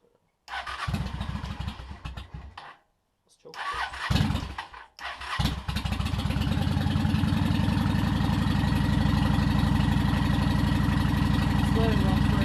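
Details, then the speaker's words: Honda Shadow motorcycle with Cobra Boulevard drag pipes and Dynojet kit: catches after a couple of cranks, settles into a loud, even loping idle around four beats per second; normal start and idle. "minute get the how does that sounds absolutely gorgeous this by far my favorite part of bik the way it sounds the way it feels it performs beautifully"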